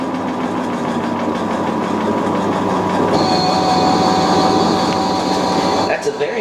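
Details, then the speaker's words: Fisher & Paykel washer spinning a heavy, off-balance load after repair of a squeaking suspension rod: steady whirring spin with low rumble, no squeak; suspension rod quiet, fix appears successful. "well this is a pretty heavy load it's pretty off balance and i don't hear the suspension rod so that's a good sign"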